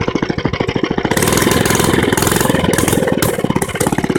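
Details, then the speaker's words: Mini bike engine revved: small engine barks with uneven pulses, revs up and settles back; the exhaust got much louder than before, and the owner doesn't know why. "but I put me revving engine but but I I don't know what happened to it but it got louder"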